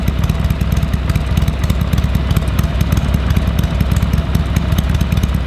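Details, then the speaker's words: Harley-Davidson Sportster 883 barn find that sat over 20 years, fresh oil and filter, temporary carburetor fitted: loose, loping V-twin idle with deep even thump about three a second, no odd knocks; normal idle. "Everything sounds good."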